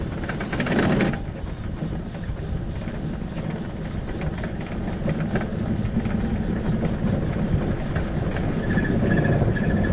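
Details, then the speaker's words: 2006 Arctic Cat Prowler XT 650 H1 single-cylinder, running after an output shaft bearing was already replaced: steady rough grinding with heavy low rumble, the same as before; root cause of the repeat bearing failure not yet found, so the engine is coming out again. "got this thing back together everything was good and now it's grinding again doing the same thing it was before"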